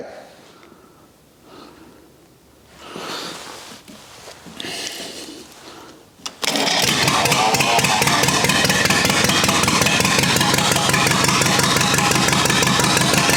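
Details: Rebuilt U23 engine, first start after 25 years, idle mixture screw about two turns out: after cranking it catches and idles at a fast, slightly uneven beat; carburetor not supplying enough idle fuel.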